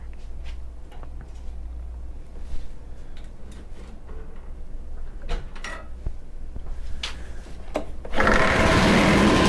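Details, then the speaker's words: Honda HRC216 lawn mower, older unit, idling after starting: light rattling ticks about four a second, then a loud rough whirr as the blade clutch engages; the clutch works but is noisy and worn. "so well clutch works uh it definitely is a little noisy you're not gonna lie you shouldn't really hear these noises it's definitely worn it does work though"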